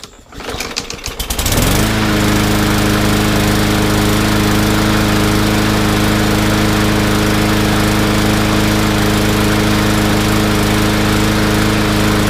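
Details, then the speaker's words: Yard Machines mower in for no-start, bad gas drained, carb cleaned and jet drilled: small single starts and runs steadily but slightly uneven; still a bit rough, suspected slightly lean. "not bad still a little bit of unevenness but like I said it's so easy to overd drill those"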